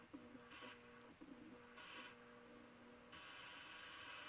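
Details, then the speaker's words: Stromberg Carlson Model 340 F console radio, warmed up and tuned to a station: faint hiss with harsh, buzzy tones cutting in and out every second or so, part of its oscillation and motorboating problems; reception distorts, then goes dead, cause unknown. "yeah here see it's trying to receive now look motorboating no that ain't even motorboating that's that distortion and if i i'll leave it alone distortion receiving distortion then it goes dead radio's dead"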